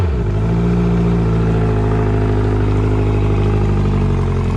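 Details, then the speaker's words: Outboard engine after reconnecting shifter cables, battery cables and repairing cut fuel and oil hoses, run about 10 minutes: catches and settles into a smooth, even buzz without missing or surging; running much smoother, normal running. "so i had the motor running here for about 10 minutes she's running a lot smoother runs great here"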